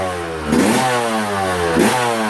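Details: Two-stroke on 24:1 premix (5 oz oil per gallon), one more heat cycle: crisp quick clean blips, pitch rising and falling evenly with throttle, no knock or rattle; healthy.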